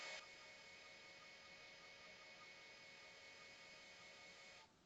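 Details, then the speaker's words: Commodore 8050 IEEE-488 dual floppy drive initializing a drive with no disk inserted: steady, rough, buzzy mechanical whir for about four seconds, then stops; the mechanism sounds harsh and unhealthy, possibly needing lubrication, though this is suspected, not confirmed. "it sounds similar. Doesn't sound hugely healthy. Maybe needs a bit of lubrication."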